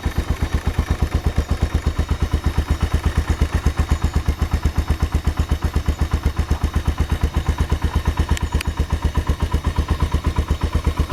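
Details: AKT TTR 200 motorcycle, presumably after tuning and cleaning: fast, even single-cylinder idle thumping at a steady rate, no knock or clatter; runs clean and smooth.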